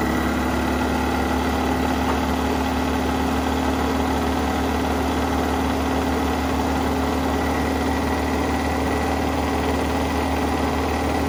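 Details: 1983 Mazda B2000 petrol carbureted engine, start after revival with fuel line reconnected to carburetor, no air cleaner: steady, slightly fast chugging idle on choke, constant low drone, no misses or knocks; normal cold idle, choke pull-off.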